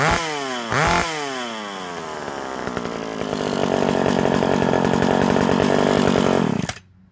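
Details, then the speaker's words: McCulloch SP60 chainsaw after a new intake boot, a repaired leaking impulse line and an unpinched fuel line: crisp starts, a clean rev climbing to a strong even scream, then a sharp cutoff. It now runs as it should. "Overall, I gotta say, that is a mean saw."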